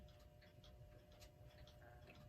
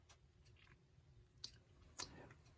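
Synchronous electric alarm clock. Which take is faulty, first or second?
first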